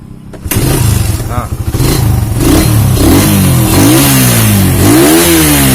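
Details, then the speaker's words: Suzuki Satria FU 150 that wouldn't start despite normal spark, fuel and compression, after head and block reassembly: cranks, catches at once, blips and settles smoothly with even beat; cause was carbon-stuck piston rings. "Nah kita Nyalakan lagi Alhamdulillah sudah nyala ya teman-teman sudah hidup dengan normal"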